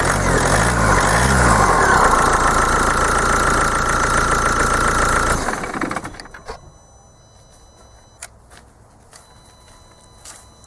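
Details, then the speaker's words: 2.0 diesel with a Bosch CP pump running with the solenoid valve unplugged and an open-circuit fault stored; it holds a steady, even idle with no hunting or knock, then shuts down cleanly. "i mimo że on posiada błąd zapisany jako przerwa w obwodzie zaraz na nim zapalimy silnik"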